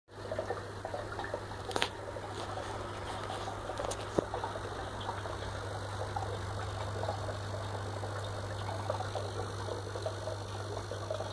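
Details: FX6 filter pump running normally, with a steady low electrical buzz over a soft hiss of flowing water.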